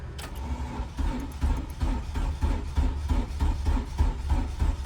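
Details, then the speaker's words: Acura RSX Type S with a new battery, which was smoking: heavy low chugging in uneven pulses about three per second, the starter dragging and never catching; slow, labored crank. Owner suspects the wiring harness, unconfirmed. "this car damn near left me stranded something is wrong I'm pretty sure it's the wiring harness I put a new battery in it and it barel"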